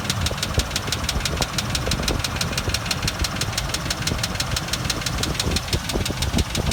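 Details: 2001 Range Rover P38 V8 idling with a fast, even, light ticking of about six taps a second, present both before and after a head gasket replacement. The mechanic suspects low oil pressure from the oil pump; not confirmed. Valvetrain ticking at idle.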